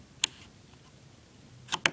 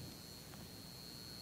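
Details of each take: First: Three-speed dimmer wall control for a 44" Hampton Bay Clarkston ceiling fan: quiet room, then sharp dry clicks as the knob snaps into its off detent; normal click confirming fully off. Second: Hampton Bay Clarkston 44-inch hugger ceiling fan light kit with three compact fluorescent candelabra bulbs on a dimmer: thin steady high buzz over quiet room hiss — CFL bulbs buzzing on dimmer.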